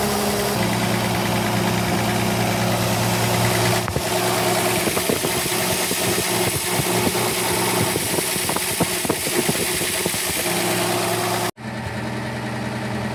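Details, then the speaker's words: Austin K9 vintage truck petrol engine under restoration: lumpy, uneven idle with irregular stumbles, misfiring; owner suspects oil poured over a spark plug, and all plugs are being changed; worn, unevenly seated distributor cap also possibly to blame. "think it sounds better. But it could be worse. Misfiring, but I think that's because I poured oil all over a spark plug."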